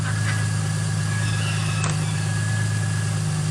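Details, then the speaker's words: 2005 Ford Mustang, rebuilt, retimed donor engine on first start after the car sat about 12 years, no dash lights: smooth, even low idle with a steady hum and no ticking, knocking or stumbling; running clean. "I got no lights on the dash. Hell yeah, guys. It's smooth."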